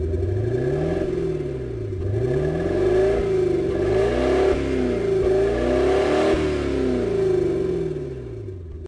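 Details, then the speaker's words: VAZ 2107 carburettor engine that lost its idle, idle mixture screw being adjusted: revs sag and hunt with a lumpy, uneven beat as the mixture is made too rich; engine choking on excess fuel. "смотрите ребят на привоз видите падает падает обороты почему Потому что све обогащённая сильно ему"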